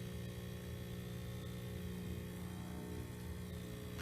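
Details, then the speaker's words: Vapor Clean Desiderio Plus steam cleaner, injection switched on: quiet, steady low hum from the secondary injection pump forcing water through, no rattle or strain; normal pump operation. "So here we go with the injection, and that's the secondary pump that you're hearing right now, which is going to start to force the water"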